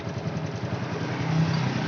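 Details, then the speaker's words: Honda Revo Fit after cam chain replacement, tensioner primed with oil so the bleed bolt needn't be opened: steady low putter at idle, even beat, no tapping or ticking; cam chain quiet and healthy, normal. "tapi talak karena ini sudah nggak bunyi lagi sudah saya pancing menggunakan oli tadi jadi nggak usah dibuka lagi tinggal di kencangin ya"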